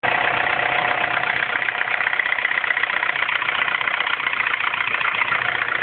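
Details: R56 Mini Cooper S cold morning start after timing chain tension change: busy, tinny rattle at a steady rate over the idle; abnormal cold-start engine noise, source not pinned down.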